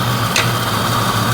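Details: 1992 Mustang GT Foxbody V8 idling after the engine bay was reassembled: a steady low, even hum with a faint tick. Engine settled and running smoothly.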